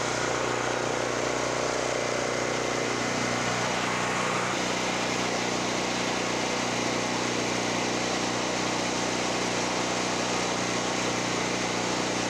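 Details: Generac GP5500 generator after a no-start repair, load-tested with a heater and heat gun via kilowatt meter; steady even loud drone with no hunting or surging: normal running.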